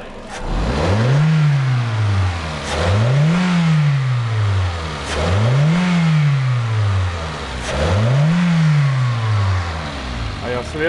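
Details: Toyota Fielder petrol engine that was misfiring and lacking power, after injector cleaning and flow test: smooth idle and four clean revs, climbing and settling with no misfire or stumble; fuel filter in the tank also to be replaced.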